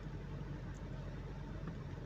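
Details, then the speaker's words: 2005 Lexus 430 with check-engine and traction lights on and code P0306, idling in gear under load: low rumble with an uneven, stumbling beat as cylinder 6 misfires, suspected shorted coil or spark plug, possibly from oil leaking past the valve cover seal. "देखिए अभी और ज़्यादा हो रहा है और गाड़ी जो है मिसिंग भी शुरू हो गई गाड़ी में।"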